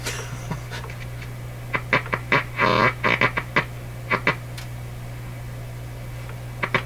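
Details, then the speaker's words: 1941 Electrohome Serenader 9A62-S two-band radio, first power-up test: a steady low hum broken by irregular crackly popping and sputtering. Owner suspects an oscillation, maybe from a dirty capacitor; cause not confirmed. Intermittent popping noise. "Oh what's happening there that doesn't sound like something being received sounds like an oscillation going maybe a bat dirt dirty capacitor or something that'd be my guess"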